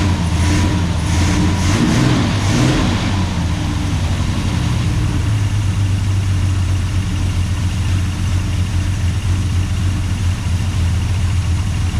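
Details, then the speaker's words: 1969 International C1100 pickup with Valiant 265 Hemi, first run after sitting for years on mechanical fuel pump: throttle blips then lumpy, uneven wavering idle, "running like a hairy goat"; owner suspects lifters, dodgy plugs. "Yeah, it will run. It's running like a bit of a hairy goat."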